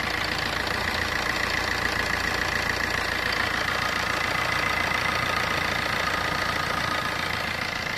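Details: Fiat Punto engine idling steadily with an even light tick around three and a half per second and no loose timing chain rattle.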